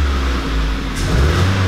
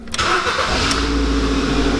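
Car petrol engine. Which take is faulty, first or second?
first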